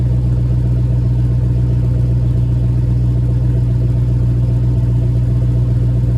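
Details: Cold idle with JBA shorty headers and stock exhaust after an exhaust leak was fixed: steady, even low rumble, no puffing or ticking. Exhaust sounds sealed and healthy.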